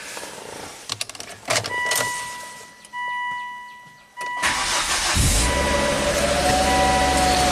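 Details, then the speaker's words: Volvo S60 Turbo after new cylinder 1 exhaust valves and repositioned exhaust manifold gaskets, heat shields off: clatter, start, then settles into even, steady idle with no exhaust leak; much better, normal start and idle. "ah much better and let it stabilize a little bit"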